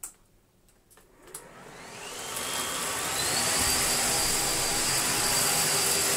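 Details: Bosch Athlet cordless vacuum, given as not working, owner suspected a blown capacitor, running on its last battery bar: whine climbs smoothly over about two seconds then holds steady high pitch, no grinding or surging; normal motor run.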